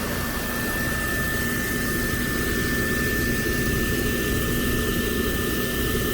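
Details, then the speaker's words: Lanair MX 300 (300,000 BTU) waste oil heater burning used oil, fired by thermostat after its yearly cleaning; steady, even roar with a fixed high tone and no sputter or surging; a good, clean flame. "So that's a nice good flame, as you can see from this little chart here."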